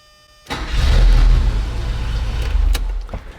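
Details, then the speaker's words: 1983 Porsche 944 (about 37 years old) cranks with a short, clean starter engagement, catches and settles to a steady, even idle. This is after fixing a faulty Autozone remanufactured starter that was damaging the flywheel and whose shift fork had popped loose. "That worked, do it again. Worked, one more time."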